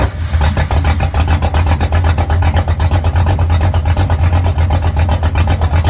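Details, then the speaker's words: Freshly assembled engine after the mis-ordered plug wires were corrected to the right firing order and initial timing set; semi-cold start at about 63°F: strong, even low rumble with steady firing pulses and no misses. Runs smooth and healthy. "once I realized what I had done I went back through I rearranged them got everything set up right and now it just snaps to life"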